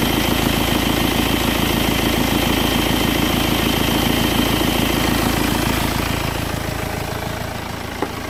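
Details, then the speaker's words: 2008 BMW X3, believed 2.0 litre diesel, idling after refitting a pipe that came off because its clip was fitted backwards. Even clatter at steady idle, no hiss or whoosh; sounds way better, normal idle. "Let's gonna start this again. Yeah, definitely sounding way better, completely different. Yeah, that's good."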